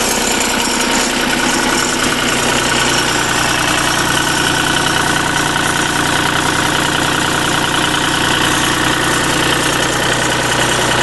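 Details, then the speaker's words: Deutz engine on a Lima generator set, first start-up after repair, started with a screwdriver because the key switch is worn out, at low speed: it idles quietly and evenly with a steady clatter; it sounds healthy and is later revved to about 1,800 rpm. "And the original key switch is uh pretty much gone on. So use a screwdriver. Pretty quiet."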